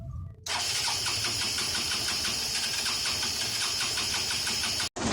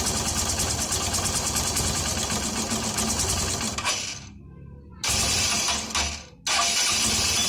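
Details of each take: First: Hero Honda CBZ Xtreme 4-stroke bike at idle: a fast, light metallic clatter ticking with the engine beat, from loose tappet valve clearance, to be fixed by opening the head cover and tightening the valve clearance. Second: Hero Honda CBZ Extreme single-cylinder after a tappet (valve clearance) adjustment to fix valve-cover tapping: an even, steady idle with no tapping, noticeably smoother than before.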